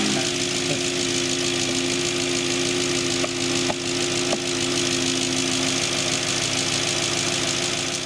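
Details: Audi S4 4.2 V8 (B6/B7, 2003-2008) idling after oil service, warming up to just over 60 degrees: steady, even idle with a light busy whirr on top, no cam chain rattle or knock; normal idle.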